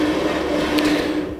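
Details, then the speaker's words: Restored 1990s Jobo CPP2 film processor: smooth, steady rotation motor whir with an even hum, no catches or grinding; speed adjusts well and the drive runs normally. "And I can adjust the speed quite well. That's working fine."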